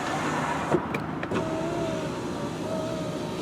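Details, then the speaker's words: 2004 VW Jetta, 2.0L 4-cylinder, 175,772 miles, power window run all the way up and down: a smooth, even motor whir with clean stops at the ends. The window works normally. "Alright, and the other thing is, of course, the power windows. And all the way up and down, no problem."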